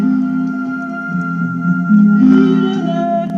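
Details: Car radio cassette player playing a tape: music wavers in pitch and sounds very low, dull and distorted; possible causes named include a stretched deck drive belt, deformed pressure roller, or the drive motor. Cassette wow and flutter.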